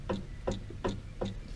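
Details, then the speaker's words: 2014 Hyundai HB20, driver's-side sway bar end link rocked by hand on a lift: four sharp hollow clunks about every third of a second from link play; worn end link, to be replaced, not steering rack or ball joint. "vou mostrar para vocês o barulho da bieleta beleza vem comigo vamos ver se vocês vão conseguir escutar o barulho Ó esse daqui é do lado do motorista olha o barulho da folga da abelha tá ó só a bieleta"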